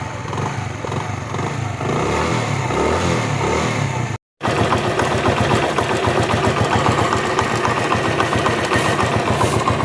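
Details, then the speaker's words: Honda CD70 motorcycle after a new timing chain kit was fitted to cure engine noise: the small single ticks over evenly at idle and blips with a clean exhaust beat, with no chain rattle left; normal idle. "Extra जो इसकी आवाज थी ना engine में वो अल्हम्दुलिल्लाह खत्म हो चुकी है।"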